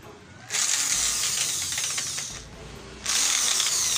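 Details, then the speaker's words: DCA mini hand drill: high motor whine sags and bogs when the chuck is held, then revs back up. Noise is heard inside and the drive stalls under light load; worn gears suspected but not confirmed. "Narinig niya yung ingay sa loob. Tapos ayun, napipigil. Pinapandar natin pero napipigilan natin."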